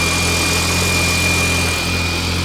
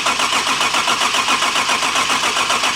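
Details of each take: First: Turbo BMW E30 after an injector replacement, no coolant in it: a steady, even idle with a constant jet-like turbo whistle. It no longer shakes, bounces or smokes; normal idle. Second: BMW E30 with fresh gas, just back from the frame shop: even, rhythmic cranking for several seconds that never catches, setting a new code. Cause was the cam sensor left unplugged. Crank, no start.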